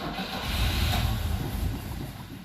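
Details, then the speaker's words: Manual-clutch vehicle cranked after several gas pedal pumps, electric fuel pump audible: low uneven starter churning for a few seconds without firing; cranks, no start; cause unconfirmed. "a little bit I don't hear the PO oh I do hear the electric fuel pump so maybe it's working its way"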